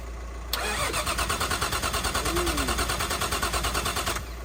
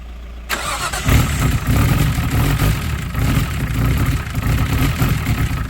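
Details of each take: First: Nissan R33 Skyline with freshly built forged RB engine, first start: starter churns steadily about three pulses a second for four seconds without firing; cause was bad spark plugs, swapped for old ones and it started. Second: Nissan R33 Skyline with freshly built forged engine on running-in oil, first start: catches after a short crank and settles into a steady, deep, even idle with no knocks or misses; runs healthy.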